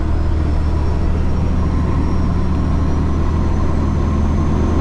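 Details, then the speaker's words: Diesel vehicle at idle with AC switched on: heavy, steady low roar of engine fan kicking on and not shutting off when AC engages; owner suspects AC high-pressure switch, costing power and fuel. "I turn the AC on fan on, the AC engages."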